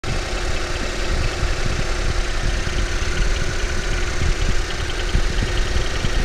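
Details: Ford Focus 3 facelift, 1.5 EcoBoost 150 hp, bought new, 18,000 km, not chipped, always 98-octane fuel, oil changed every 5,000 km: steady idle with fast, light ticking knock over the low engine drone; engine knock, cause unclear.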